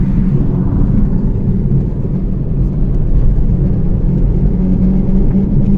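Steady low drone fills the cabin while driving, holding an even hum with road rumble underneath, typical of a worn rear wheel bearing.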